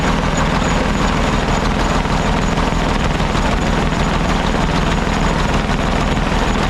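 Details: Caterpillar D8 2U crawler main engine running after its first start, revived after the pilot (pony) motor was sorted: loud, even diesel clatter at one steady speed, no knocks, misses or surging; motor sounds fantastic, normal diesel running.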